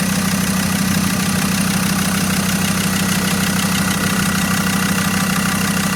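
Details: Abandoned Land Rover Discovery 2 TD5 diesel, first start after being found partly dismantled: even, steady diesel clatter at settled idle, constant low thrum, no knocks or misses, typical healthy TD5 sound; pulleys reportedly not turning; normal idle.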